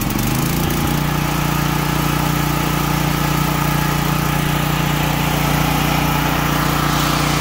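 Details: Troy-Bilt XP 10,500-watt generator with Briggs & Stratton 2100 series engine, after carburetor replacement and fuel tank and line flush for bad gas: brief rise as it catches, then smooth constant governed hum, no hunting or surging; running fine.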